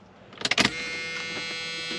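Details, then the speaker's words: Flood-damaged Dodge Dakota 4x4 convertible after hurricane, fresh battery, at key-on: a couple of sharp clicks then a steady high electric buzz at constant pitch, like an '80s Dodge fuel pump kicking on; fuel pump priming. "sounds like an ' 80s Dodge fuel pump kick on"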